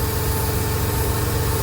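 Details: 1999 Ford Econoline 4.9 inline-six commercial van, stalls at idle but drives, no check engine light, vacuum readings abnormal: low, lumpy, uneven idle without clean rhythm, a stumbling rough idle from a faulty MAP sensor.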